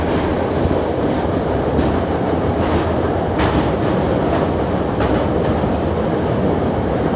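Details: Kyiv metro car No. 10327, type 81-717.5, on the Sviatoshynsko-Brovarska line, rolling with a steady knock repeating about every 0.8 seconds under the rail noise: a flat spot on a wheel.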